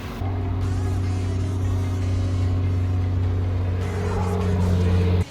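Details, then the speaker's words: Nissan Stagea C34 RB25DET after a Walbro 460 fuel pump install: steady, even low drone with no stumbles or misses, then a clean shutoff; normal running. "Prime is so loud. That's cool. There it is, boys, running on the Walbro 460."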